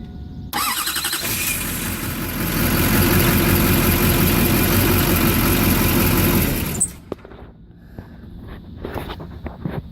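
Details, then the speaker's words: 2001 Chevy Duramax diesel just after starter and solenoid replacement: the new starter spins briefly, the engine catches within a second, runs loud and even, then settles to a steady idle. "and just like that buddy I saw she wrote and then it sounds like here's the new sound the new starter"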